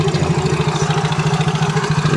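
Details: Yamaha Mio J scooter at idle: rapid, even clatter about a dozen times a second from inside the engine, not piston or CVT; slack cam timing chain rattle, fixed by replacing chain and chain tensioner.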